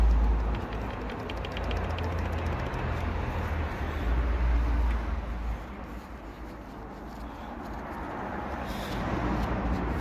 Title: BMW B47 Rod Knock Oil Starvation #